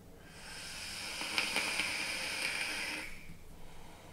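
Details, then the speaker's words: Azeroth RTA vape while drawing: a steady, airy hiss for about three seconds, then stops. Loud airflow hiss from a noisy design; the tank does not leak. "the only the two downfalls of the aerith in my opinion I can't put my own 51 drip tip on I'd love to be able to put a goon goon tip on here and it is noisy you know you can hear it's"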